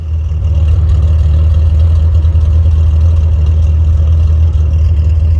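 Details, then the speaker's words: Abandoned 1972 Datsun 240Z's revived L24 inline-six runs with a deep, steady, even exhaust rumble, no knocks or misses; normal running. "Sounds too cool, man. Runs so good."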